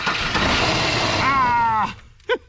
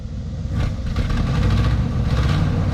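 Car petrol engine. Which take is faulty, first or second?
first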